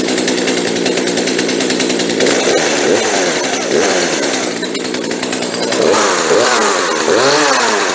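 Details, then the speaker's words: Chainsaw after fuel line replacement, started on full choke after priming; buzzes steadily at a fairly fast idle with a few quick blips, runs clean, idle slightly high and to be turned down. "okay that sounded pretty good so we're going to turn the idle down just a touch but other than that we're done she sounds okay"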